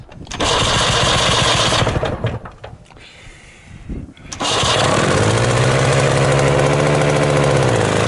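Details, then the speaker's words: 1979 HTZ T-74 tractor at -8 °C first start, carburettor flooded, decompression on. The small engine barks into life, nearly dies, sags, then runs unevenly. Owner says it needs more flooding when cold and runs poorly because the oil is stiff in hard frost. "Tahab natuke ujutamist saada, natuke rohkem külmana. Ta on kange külmaga kõik see õli, sellepärast ta ei taha hästi käia, ma tahan soojamaks"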